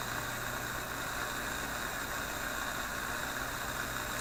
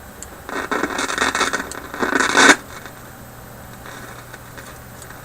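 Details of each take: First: Philips 922 vacuum tube radio on current-restricted supply around 115–120 V; a steady hiss over low mains hum with no crackles or pops, though owner suspects IF capacitors as noises later return: normal reception without static crashes. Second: Philips 922 vacuum tube radio run on current-limited supply near 115–120 V after sitting off for hours: loud crackling bursts then scattered sharp pops over quiet hiss, volume fading then radio dying; owner suspects failing IF capacitors again.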